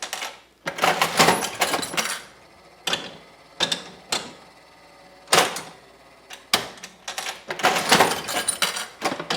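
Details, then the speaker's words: Vintage Mills Roman Head slot machine, old penny escalator jackpot, no coins in the payout tube: bursts of clatter as the reels spin and stop on three oranges, then the payout slides clack through their stroke; working as it should. "There's no payout. You can see the hear the no coins in the tube, but you hear the payout slides doing its thing. All works as it should do."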